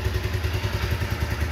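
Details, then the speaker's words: 2010 Honda CBR 150 (old model) with original carburetor and factory-sealed engine, heard at the engine: quick, even single-cylinder thumping with no ticking or clatter; very smooth, healthy idle. "Tuh, halus banget, nggak ada suara yang aneh-aneh teman-teman ya. Halus, masih benar-benar sip ya."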